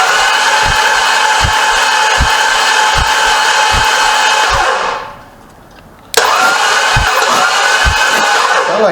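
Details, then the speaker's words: Barn-find 1981 Pontiac Trans Am V8, two cylinders not firing (low compression): uneven thump about four times a second, cutting out and refiring; owner suspects misadjusted valves or blown head gasket, air pushing back through intake; rough running. "the oil pan I got 150 there so these two cylinders here are not hitting"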